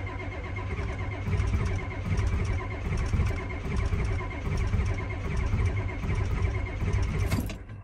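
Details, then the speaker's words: Ford F250 7.3 IDI diesel at about 30 degrees: slow, uneven cranking for about seven seconds that never catches, then stops; crank no-start, owner suspects glow plug issues, possibly the switch. "so we do got some gold plug issues others this thing should start because it's like 30 degrees out"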